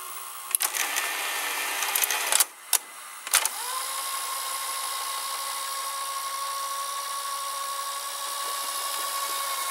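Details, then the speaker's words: Sears Betavision Beta VCR model 30214 after idler tire and small belt replacement: handling clicks then smooth, steady motor whine as the tape rewinds to the beginning at even speed; normal rewind. "you can see the tip is turning no problem it turned to the beginning"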